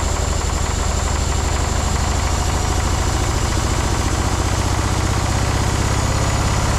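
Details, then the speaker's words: Long-parked cabover diesel truck, owner suspects two injectors not firing; loud even clatter holding steady high speed that never drops despite fuel shutoff pulled: diesel engine runaway. "Shutting that uh fuel thing off did nothing. She was just running."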